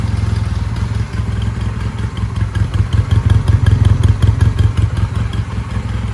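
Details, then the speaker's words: 1999 Honda Rebel 250, first run after sitting, old oil, fuel screw not yet adjusted, slight idle hang: quick, even pulses at fast idle with a tight regular beat, no knocks or rattles; normal running. "Oh, we got ourselves a runner. I'm stoked. This is so awesome. It sounds like a sewing machine even with this garbage oil that's in it."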